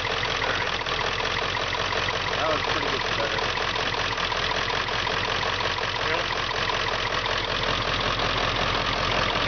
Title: Rough idle, Wire harness issue.